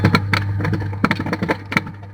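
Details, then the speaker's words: Washing machine wash motor being tested through a 6-wire timer, wired with phase and neutral: a steady low hum with a few light handling clicks and no rubbing or growl; normal running. "आप एक आवाज़ सुन रहे होंगे मोटर की। ये मोटर हमारी चल रही है।"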